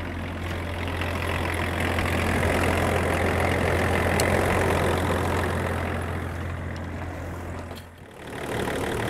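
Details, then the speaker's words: Land Rover Range Rover P38 2.5 diesel, after coolant drain and refill with bleed funnel, started after glow plugs: steady even low diesel chatter at idle, no knocks or misses; running smoothly. "see if we can start this old two-and-a-half diesel give it the best chance it's got a bit of glow plug these old two and a half diesels love their glow plugs and here we go can't complain at that"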